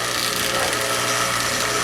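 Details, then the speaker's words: Kenmore Elite HE3T washer after repair of a no-drain, no-spin fault: steady whirring pump hum with rushing water and no knocking or grinding; now draining and spinning normally. "but we couldn't get it to drain and spin and now it is draining with spinning so that's a good sign"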